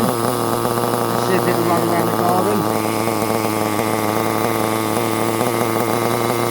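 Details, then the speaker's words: Fully restored Tamiya TR15 small two-stroke engine, first start in 20 years: steady high-pitched buzz with an even unbroken note and no misfires; normal running. "Got it started after 20 years, which was amazing."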